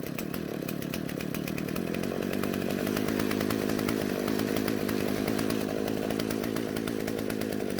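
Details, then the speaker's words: Husqvarna chainsaw that wouldn't start, after turning both L and H carburetor screws out slightly to richen it and stop stalling: steady high revs with a crisp, even beat, no bogging; normal running. "in the end i turned both screws out just a little bit so the carburetor would deliver more fuel to the engine and not stall out"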